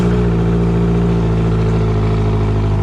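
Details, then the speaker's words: Outboard motor running smoothly and healthy after reconnecting shifter cables, fuel and oil hoses and battery cables, restarted after about 10 minutes of running; steady, even low hum with no knocks, misses or surging; normal running. "she's running a lot smoother runs great here i'll start it up again for you guys"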